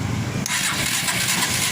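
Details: Suzuki Shogun 125 R motorcycle with lost ignition, stator coils being tested with a test lamp: starter whirs and turns the engine over evenly but no cylinder fires; crank-no-start from missing spark.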